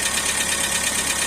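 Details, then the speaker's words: Astra with oil light staying on and hydraulic lifters drained, restarted with a weak battery: fast, light ticking over a hissy idle, steady with engine speed; lifters still tapping but much less as they refill. "Tá batendo tucho ainda, mas não tá batendo bem menos."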